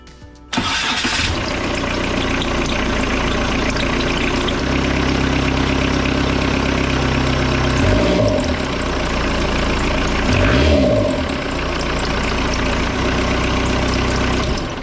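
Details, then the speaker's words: Kubota V2403 diesel in a 2006 Jeep TJ Wrangler after governor spring replacement, idle set screw backed out with throttle linkage disconnected: starts and settles into a steady, even idle at about 950 rpm with a couple of brief blips; normal. "Okay, right now that's at about 950 RPM, which I can more than deal with."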